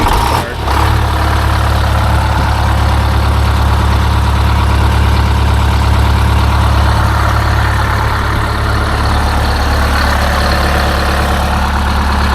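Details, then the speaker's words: Detroit Diesel 8V-71 after fitting a new starter (part 6924N) on extended 400 A copper bus: fires straight away and settles into a deep, steady, even idle with no misses or knocks; starts and runs healthy. "I can't play it because the engine starts too well I have to leave the fuel off"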